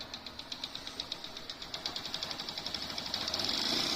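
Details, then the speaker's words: Honda Dream Yuga motorcycle engine after replacing the damaged, cracked gear pinion: light, even ticking idle speeding up slightly, no gear clatter in 2nd–4th and no engine noise; normal idle after repair. "को sound नहीं है gear में कोई sound नहीं है और engine में भी कोई साउंड नहीं है"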